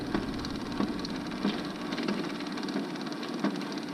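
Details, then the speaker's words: Used garage door opener with rail being extended for a 12 ft door, running by holding the button without sensors: motor hum with a rough, gritty clunk about every two-thirds of a second; owner suspects an internal part wearing out, unit to be opened. "really don't like that i am concerned about that noise i think taguira's going i'll have to open this up and look in there"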